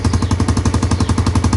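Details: Motorcycle after kick-start with a charging coil (spul) fitted, voltage rising 11 to 12 V with revs: deep even thumping about ten beats a second, steady, no knocks; single running healthy.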